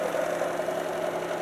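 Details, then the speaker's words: BMW 316 budget EV conversion, series-wired motor on a 12V booster pack, car in second gear: smooth steady mid-pitched hum, no grinding, whine or clunks; gearbox and drivetrain spinning quietly and cleanly. "you can hear how quiet this is there's no bad sounds coming out of the uh gear uh gearbox or drivet train you see she's spinning away happily"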